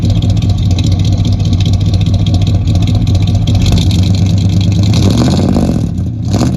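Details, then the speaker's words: 1972 Chevy C10 with 350 V8 and 3-speed automatic, first run in years: deep V8 burble through dual exhausts, climbing cleanly when revved and dropping back smoothly; a little smoke, possibly slightly sticky rings, otherwise healthy. "That sounds nice. Smoke? A little bit."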